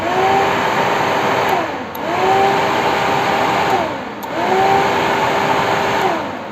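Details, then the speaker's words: KTM Duke 200 radiator fan that had stopped working, causing overheating, run by grounding the green wire at the fan relay: clean whir rising and falling as fan spins up and coasts, no grinding; fan runs properly. "இதில் நம்ம இந்த green colour ஒயரில் ஒரு துண்டு wire join பண்ணிட்டு அதை நம்ம வண்டியோட சேஸ்லேயோ இல்லை பேட்டரிலையோ நெகட்டிவ் கொடுக்கும்போது ஃபேன் ஆட்டோமேட்டிக்காக ஓடும்."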